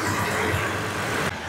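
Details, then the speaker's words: 2016 Toyota Tacoma after AC repair, idling: soft click and slight tone shift as compressor clutch kicks in again, no grinding or rattle; normal, healthy engagement. "You can see the compressor turning there. There, it kicked in again."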